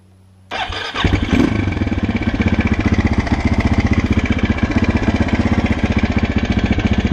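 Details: 2006 Husqvarna SM 610 at 18,000 km: the big single starts and settles to a quick idle with a hard, uneven knock on each beat, about four a second; engine knock, cause not confirmed.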